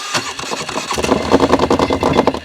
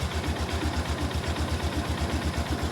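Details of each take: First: 2005 or 2006 (owner unsure) Polaris Sportsman 400 that won't drive after mudding, started on choke in neutral: harsh rattling, grinding clatter in quick bursts over a choppy idle; clutch or belt suspected, not confirmed. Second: 2005-ish Polaris Sportsman 400 ATV, cold, in neutral, primary clutch reinstalled with CVT cover off: steady, even low thump about four beats a second with no knocks or slipping; normal idle.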